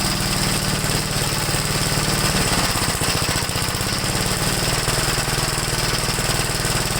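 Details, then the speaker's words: 1969 Gravely L-I intermediate-speed tractor, single-cylinder, warm, recorded near the muffler: uneven popping with the beat stumbling and pitch wavering; runs rough when warm, owner suspects the carburetor idle jet. "it seems like after I warms up I I just really running bad"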